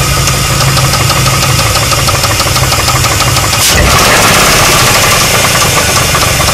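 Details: 2001 Chrysler 300M 3.5L engine at idle: heavy hollow rod knock about three times a second above the engine note, caused by a warped connecting rod and worn rod bearings; later fixed.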